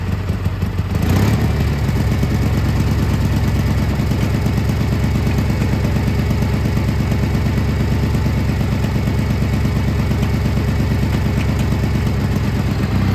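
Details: Gravely G-16 tractor, roughly late-80s/90s, not run in a few years, on its own fuel, driving: steady even low rumble, no knocks or misses; runs and drives pretty good, smokes a little, carburetor probably a little dirty.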